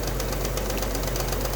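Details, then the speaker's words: Alfa Romeo GTV Cup at rough idle, warming up for a head gasket test: fast, even metallic rattle as the cam (timing) belt tensioner rattles loose, risking belt failure; engine may need removal for clutch, starter and head gasket. "now as you can hear you can hear that tension out rattling its head off for the tongue Bell"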